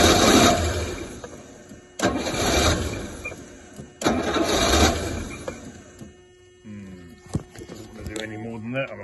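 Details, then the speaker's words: Rolls-Royce Silver Shadow on a freezing cold day, after fuel pump rebuild, points and plugs work: engine catches and runs briefly three times, dying each time, won't rev; owner suspects sticking carb pistons (freed) or blocked bowl-to-jet passages. "off and freed the Pistons to see if maybe the Pistons were sticking which would give it that symptom of not wanting to rev"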